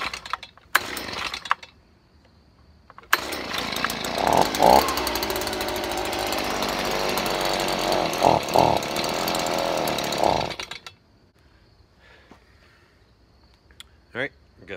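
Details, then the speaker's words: Stihl BG 55 two-stroke leaf blower after carburetor cleaning, on fresh gas, choke off: steady high-pitched buzz with small dips, running pretty smooth; problem likely a mix of bad gas and dirty carburetor. Normal running. "well sounds like it's running pretty smooth they probably mixed between the bad gas and the dirty carburetor"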